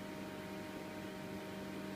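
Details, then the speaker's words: Avalon 60GH Mini Rig miner just set up and hashing: steady, even fan whoosh with constant low hum and a few fixed tones, no rattle or wobble; normal fan hum. "So I think now you can hear it a bit better. Yeah, there it goes, humming, humming."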